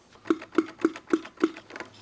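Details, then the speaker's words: Honda limo, engine out, as the transmission is separated: the hand-spun clutch release bearing gives evenly spaced ringing clicks, about three a second, with a lot of play; the bearing is shot. "That sounds a little noisy when I spin it. Well, that's because the clutch bearing shot."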